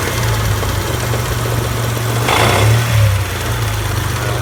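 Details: Automatic car engine, 3000-4000 miles after big-end bearings and crank regrind, collapsed hydraulic timing-belt tensioner: steady knock about three per second at idle, swelling with revs; started in gear with handbrake on, cause unconfirmed.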